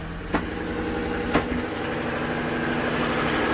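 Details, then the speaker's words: Land Rover Discovery 2 with a three-year misfire, after fixing a cheap broken part: smooth, even idle with steady hum and no misses; all cylinders firing, number one header runner getting hot. "I haven't heard it run that smooth in forever. Oh yeah."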